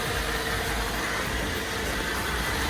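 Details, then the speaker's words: 2005 Cadillac CTS that won't crank from the key, started by jumping the relay in the underhood fuse box with ignition on; smooth, even idle hum with no knocks, misses or squeals; normal idle. "So now it's running."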